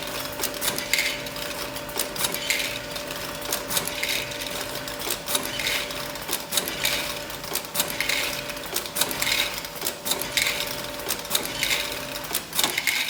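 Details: Cremer CF1220 (TQ1220) tablet counter test run after the PLC and HMI retrofit; steady mechanical clatter with a fixed tone and evenly spaced ticks about once a second. Normal operation.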